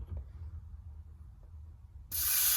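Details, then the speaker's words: AEA Challenger .30 caliber 32-inch-barrel bullpup air rifle, air gauge fitting loosened to drain the tank before a valve pin change: near silence, then a sudden steady high hiss. Controlled air release. "So what we're going to want to do is turn this until we hear the air come out just a little bit. I should say start to come out."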